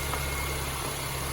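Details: 2006-2011 Honda Civic 1.8L charging at 14.2 V: steady, even low hum with a faint constant whine and no knocks or misses; normal idle.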